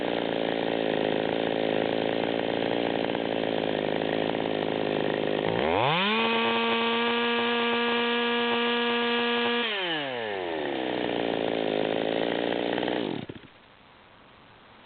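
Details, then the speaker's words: Stihl MS200T chainsaw with modified engine and 25-inch bar, at no-load high idle: uneven, burbling blubber and four-stroke miss, running rich. "we can still hear it blubbering at high idle we picked up a few more rpms"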